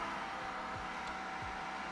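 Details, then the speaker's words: Creality K1 side fan with a muffler baffle: airy whoosh with choked, strained edge, airflow drops from 7.5 to about 3 m/s; baffle restricts the fan too much. "I can I can hear that the fan is starting to struggle uh let's test that"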